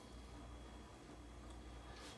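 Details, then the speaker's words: Samsung front-loader washer showing nd (drain) error on a 33-minute quick wash: the drain pump gives a faint steady low hum with no pumping. The blade isn't turning; the motor may be dead or have an electrical fault. Broken impeller. "you hear that noise but humming noise where it's going that humming noise is telling you that the blade is trying to move now the motor might be dead the motor might it might be electrical fault and it's damaged but it's definitely not turning the blade"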